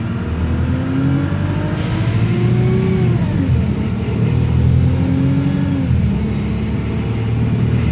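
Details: Wrightbus Streetlite DF diesel bus in service, recorded in traffic on the A2047 in Fratton, Portsmouth: a disturbing whirring rising and falling with engine speed over a low rumble, with a thin high whistle.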